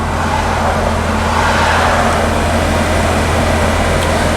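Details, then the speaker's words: 1991 Volvo 245 (240 series), after 15 minutes parked, in park: steady fast hum with no throttle, estimated about 2200 rpm versus normal 1200; high idle from misaligned throttle position sensor. "really high idle unfortunately my tack is a little screwy right now so I can't check the idle speed but juding by my you know these funny little RPM gauges on the side of my head it's probably sitting about 2200"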